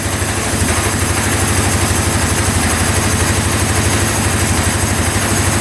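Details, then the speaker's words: 2013 Polaris Sportsman 550 EFI EPS 4x4 ATV, written off by a dealer, fires right up after the starter solenoid posts are crossed and settles into an even, steady single-cylinder idle with no misses; owner suspects the solenoid. Normal idle. "oh man that is insane she fired right up look at that no way I cannot believe that that is awesome"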